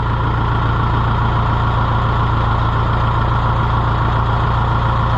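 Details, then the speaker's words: Engine right after a cold start: deep steady idle with an even low beat, no misses or knocks; described as a sweet, good runner. "so let's get it out of here and see well you start cold start that's sweet it's a good runner"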